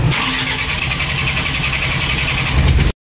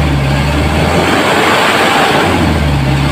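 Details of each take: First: Mitsubishi Canter 4M50 diesel that won't start: it cranks steadily for a long time without catching, a hard start caused by injectors leaking back too much fuel. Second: Mitsubishi Canter 4M50 diesel truck that would not start, after repair, revved up: a strong, steady roar holding speed cleanly, engine now running well.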